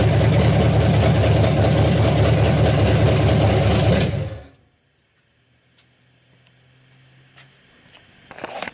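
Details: Freshly rebuilt 1992 Mercruiser 502 marine V8 (new pistons, rings, bearings, cam, lifters, Crane roller rockers, rebuilt Holley 800 CFM carb) on run stand: deep even rumble, no knocks, ticks or misses, then clean shutdown; healthy.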